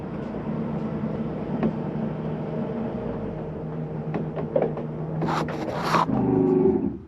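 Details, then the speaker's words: 2013 Palomino Columbus 320RS RV, slide-out extending; a steady low motor hum strains and changes note at full travel, signalling the slide is out far enough to release the button; normal end-of-travel sound. "why don't you hear that noise that's the slide mechanism telling you I'm out as far as I need to go ahead and let go of the button"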